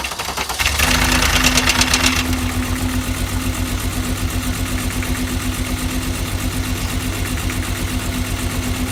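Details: VW Jetta VR6 2.8 losing power, still noisy after new plug wires and spark plugs: at idle a rattling tick about four times a second rides over the engine. Cause unclear.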